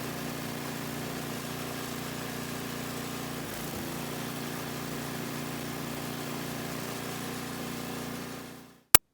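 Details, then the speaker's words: MTD 5/22 two-stage snowblower after the separation between the auger housing and the body, suspected of letting the auger belt slip off, was fixed by tightening on an added nut. A steady small-engine drone at constant speed with no belt slap or squeal; it runs normally. "right as you can see after a handful of test runs the belt stayed on just fine"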